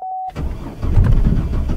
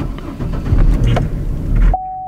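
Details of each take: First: $500 car after fuel pump, fuel tank and blown fuse replacement, key on with fuel pump humming: short chime, then starter cranks steadily over a second but engine never catches; crank no start, started on the next try. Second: Petrol car bought as a non-starter, after a new fuel pump, fuel tank and fresh fuel, primed then started: catches right up, previous misfire gone, buttery smooth steady idle, good oil pressure, alternator charging, no check engine lights.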